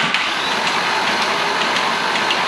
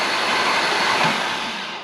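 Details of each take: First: Rebuilt engine's first crank, new timing chain tensioner: light, uneven ticking rattle under starter whir, chain noise as oil pressure has not yet reached the tensioner/chains; cleared after further oil cycling. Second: Engine cranking after a new timing chain tensioner had air cycled out of it: a smooth, even whirring spin that winds down, with no rattle or chain slap; normal cranking.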